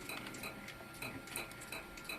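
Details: 1 TB hard drive making light, sharp ticks about three times a second, caused by the head reading and writing damaged bad sectors. Fixed by finding them with the Victoria program and shrinking the disk to exclude them.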